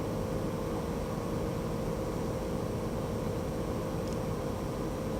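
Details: VW Touareg air suspension compressor, newly replaced after the old rebuilt pump ran constantly with sagging and suspension codes; even, steady hum without surging or knocking as it lifts the vehicle quickly; normal operation.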